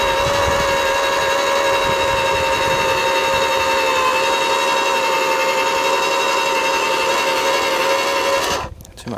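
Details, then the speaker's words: AEG twin 18V battery (36V) post hole borer: a steady, strained motor whine with a grinding edge under load until it cuts off. Grass matted on the auger teeth stops it cutting, so it pushes dirt instead. "stuff stuck around the blades just simple stuff like grass mats up on the teeth there stops from cutting there's the there's the culprit there"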